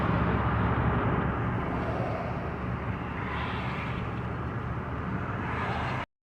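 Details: 2010 Chevy Tahoe V8 after DOD/AFM repair, new head and Melling 10296 oil pump, first start after priming fuel: smooth, even low rumble, steady beat, no ticks or knocks; healthy idle.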